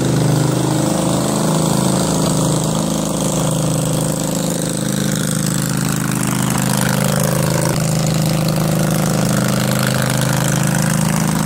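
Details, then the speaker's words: Craftsman 20.5HP 46" lawn tractor, Kohler Command V-twin, choke off, before carburetor cleaning: steady thrum that rises and falls instead of locking at idle, surging badly at all throttle speeds from a dirty carburetor. "so now uh obviously you see it surges pretty badly uh once you dial in the choke at one throttle"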